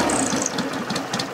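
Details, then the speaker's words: 1963 BSA Rocket Gold Star in touring trim at tickover: a short burst of steady, even beats about four per second, not hunting or floating, no misfires, a nice regular healthy idle. "it's got a nice regular tick over"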